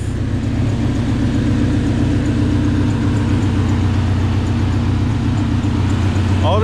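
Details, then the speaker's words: PT Cruiser GT turbo 5-speed, first start after broken timing belt replaced, no coolant and no power steering belt: low, slightly lumpy idle with steady hum, idling real low but running; normal idle. "it sounds like it wants to run it's idling real low we have life we have life"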